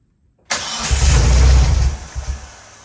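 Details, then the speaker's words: Race car, crank-no-start with a faulty jump box; engine spins with heavy uneven churn that never catches and fades; owner suspects timing off. "Definitely feels like timing might be a little off, but what do I know?"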